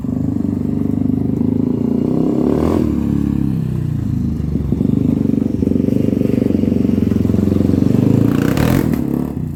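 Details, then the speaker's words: 1997 Honda TRX300EX single-cylinder on test ride after cam chain replacement, not run in a while and still cold: thump rising and falling with throttle, slightly lumpy but pulling cleanly, no knocks; running really good. "okay guys hey it's actually running really good um it hasn't ran in a while so it's a little grumpy and it's also still cold I haven't really warmed it up a whole lot but uh um running really good otherwise"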